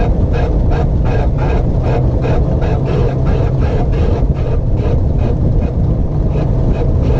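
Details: 1958 Corvette driven slowly in a tight left-turn circle: rough pulsing grind about four pulses a second over a deep engine rumble, from the right rear wheel; no noise in tight right turns.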